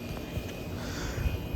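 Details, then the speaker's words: 1983 Gibson SlumberMaster window air conditioner, cold start on low cool in cold weather after the thermostat was warmed: deep uneven rumble and shudders from the rotary compressor. Owner says every such compressor vibrates like this, and it sounds good. "we'll fire it up on low cool here we go that was a cold start as the old massive does the old machashita I don't even know what they call it vibration"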